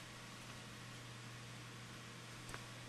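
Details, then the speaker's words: Windows Server 2008 NAS PC after its system upgrade, in the BIOS: steady low hum with an airy hiss that never changes; the chassis (case) fan, not the CPU fan, is making the noise. "I think that fan that's making all the noise is the case phantom of the CPU fan yeah it's that case fan that's making all that noise"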